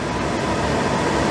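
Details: Suburban propane furnace in a motorhome, running after being cleaned because it would strike but not ignite: steady, even roar of burner and blower with no popping, surging or misfire while it burns off old bugs; it burns cleanly and normally.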